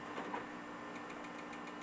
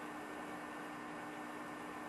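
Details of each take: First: HP Vectra VL400/VL420 desktop optical drive spinning a disc: a fast, even whirring pulse with a rough buzz over it; the drive sounds worn and noisy, and whether it works is unknown. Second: HP Vectra VL400 desktop (Pentium III 800 MHz, 512 MB RAM) powered on: only a faint, steady fan hum with a single click near the end; impressively silent, quieter than the VL420, running normally.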